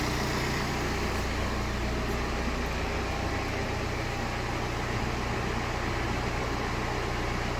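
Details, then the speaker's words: BMW 1 Series 118d/120d, N47 2.0 diesel, after repairing a very bad knocking sound and red oil pressure light: perfect start, smooth even idle with steady low rumble, no knock, no warning lights or errors; fixed. "let's see perfect start perfect sound no lights no error it's fixed we fixed another one"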